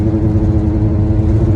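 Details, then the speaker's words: Kayak on a car roof at driving speed: a steady buzzing hum over road and engine rumble from a flat, straight tie-down strap vibrating in the wind; putting a twist in the strap and re-tightening stops it. "all right your strap is straight makes a noise it's not if it's like this it doesn't make a noise it makes a noise because it's just rattling"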